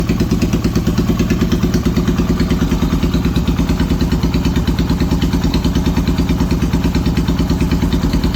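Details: Yamaha XS650 twin running an old Hitachi TCI ignition: uneven, lumpy idle with irregular thuds about three per second, stumbling and misfiring.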